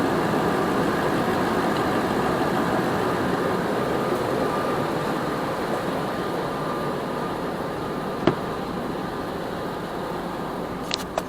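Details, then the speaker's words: 2006 Nissan Armada 5.6 V8 (body 185,000 miles) after engine swap, idling after being put through reverse and drive: a steady, even idle with a smooth low hum and no hunting. Purrs like a kitten; normal idle. "Oh yeah. Purrs like a kitten."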